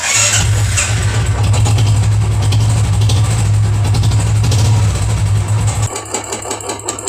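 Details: Royal Enfield Classic 350 starts and settles to a steady single-cylinder idle with a heavy knock under each beat; internal engine noise, mechanic says the full engine must be opened to solve it, exact source not confirmed.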